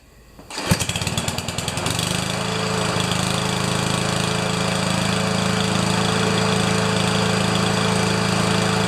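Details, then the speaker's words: Powermore mower, possibly a Honda clone, in cool weather after fixing broken blade adapter, upside-down blade and mildly clogged carburetor: catches on the pull and settles into a smooth, steady buzz without surging or missing; runs great. "so anyway she run actually runs great and i'm sure somebody will think it's a wonderful more"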